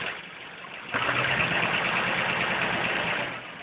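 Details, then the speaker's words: Engine with gold aftermarket rockers: light, quick top-end ticking about three per second at idle. Owner suspects a bad lifter on cylinder 7, since no oil is coming out there unlike the other cylinders; not confirmed. "kay guys I think I might have a bad lifter in my number seven if you look here on these gold and look on the ends of the inside the cylinder head here you can see oil is actually dripping down when you look back down here nothing it's not bleeding out like the other ones are I think that's where my tick is coming from"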